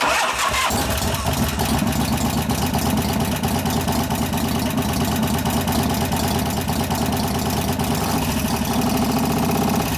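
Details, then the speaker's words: 1988 Harley FXR V-twin after cam change and pushrod adjustment, idling in neutral: fast steady ticking following engine speed; possibly a couple of hydraulic lifters not pumped up, location unclear, maybe slightly louder at front. "It echoes so much you can't tell where it is, but there might be a couple of them going, I can't tell."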